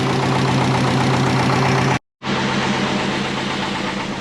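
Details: Twin turbo Subaru Forester just running again: rough-edged idle with a light uneven puff about four times a second over engine hum; owner thinks a V-band exhaust clamp is a little loose.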